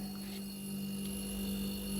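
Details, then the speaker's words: Refrigerator that cools properly, heard from the back near the compressor: steady low constant hum, smooth, no knocking or rattling; normal compressor sound, slightly louder hum is still normal. "यह देखिए यह इसकी normal sound है अगर इसे थोड़ी से ज्यादा भी साउंड आए हल्के से तो भी इस तरीके का जो साउंड होता"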